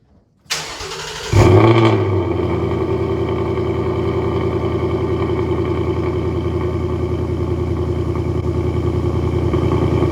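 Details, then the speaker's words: 2020 Ford Mustang GT V8 cold start before a dealership visit for a rattle: brief crank, a sharp rev flare, then a deep, steady, even exhaust rumble. Healthy cold start. "so I'm gonna go ahead and put you guys down for a little cold start so you guys can hear it because the exhaust those sounds beautiful"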